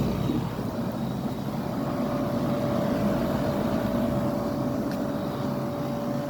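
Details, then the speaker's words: Fedders 10,000 BTU window air conditioner, filthy from running without a filter, drawing 11 amps (an amp over its rating) with very hot air out the back. A steady drone and hum; the compressor is labouring and louder than earlier. "it's just thing's in labor right now compressor doesn't sound as quiet as quiet as it did earlier"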